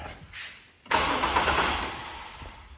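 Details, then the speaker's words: 2000 Chevrolet Camaro with intermittent starter cranking: it engages abruptly and spins evenly for about two seconds without firing, then fades out. It changes as connections are reversed, and electrical gremlins are suspected. An earlier bang may have bulged the muffler, from suspected back pressure. "so I don't know what actually going on now yeah I don't know earlier one of them worked on both ways and now neither one I don't know this got some electrical Gremlins"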